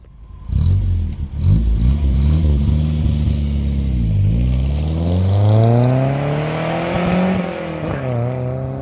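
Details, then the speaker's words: Nissan 1400 bakkie drive-by with new exhaust, single box: smooth deep note rising and falling cleanly with throttle, no rattles or blowing; healthy exhaust, similar to the old one. "I don't know about you guys but I think it sounds really good uh it only has one box in so these buckes are actually quite quiet from uh from Factory"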